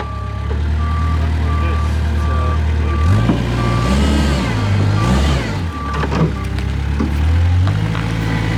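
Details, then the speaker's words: Kubota wheel loader hydrostatic drive, reverse relief valve swapped into forward circuit, diesel drone labors with backup beeper as forward now hits relief and wheels stop; suspected faulty HST circuit relief valve causing weak reverse on steep hills loaded. "All right. So, you could hear it hit relief and forward now. And because I swapped the reverse relief in the forward circuit, now forward is hitting relief and the wheels aren't spinning."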